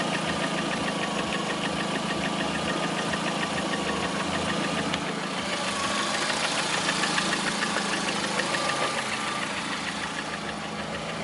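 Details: Lada Priora with 21126 engine at steady idle, a fast, fairly regular light knocking around three per second riding over the engine; engine knock of unknown origin.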